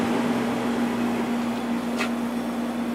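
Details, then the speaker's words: 1989 Climatrol 8000 BTU window air conditioner made by Fedders, Rotorex compressor, stiff never-oiled Samsung fan motor: running on low cool, soft constant hum and airy rush with no rattles; runs quietly and normally. "this air conditioner Works quite quite nicely let's go to High fan first most of the noise you're hearing is coming from the condenser fan"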